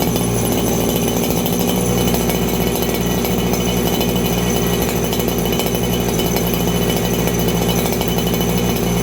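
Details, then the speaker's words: Farmertec 288 kitsaw, 90cc two-stroke chainsaw, low jet tuned: screaming at constant very high pitch with no burble or four-stroking, high-speed jet far too lean, risking over-rev damage. "Okay, I got my low jet tuned. My high jet seems really, really lean right now."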